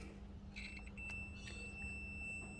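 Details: Chicago Coin Top Ten pinball, score reels wired in series: continuity tester lead clipped to a zero score reel track lug, checking across reels; thin steady high beep over a quiet room signals a closed, continuous circuit.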